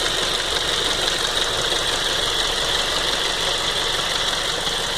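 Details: 2007 Ford Focus 2.0 Duratec petrol engine at idle: light, fast ticking over a hissy running sound; owner unsure if normal, possibly noisy injector rail, unconfirmed.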